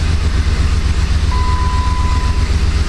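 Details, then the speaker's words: 2006–2007 Jeep Grand Cherokee 4.7 V8 idling in gear, check engine light flashing; rough lumpy idle, body shaking, uneven exhaust stumble two or three a second from a cylinder 4 misfire, not coils, plugs or injector. "Perhaps you can hear it, but it's shaking pretty good. I mean, I don't know if you can see the hood tremoring or not. Probably not. But it definitely feels like a misfire."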